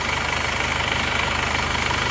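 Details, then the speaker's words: Isuzu Panther diesel after an engine overhaul that fixed a clattering knock at high revs: a steady, smooth idle with only light normal clatter and no knock when revved. It has non-original liners but no blow-by, and a modified PCV. "Ya alhamdulillah mesinnya sudah halus tidak kasar ini kletk-ketknya juga sudah hilang kita gas tidak ada suara kletek-kletk seperti"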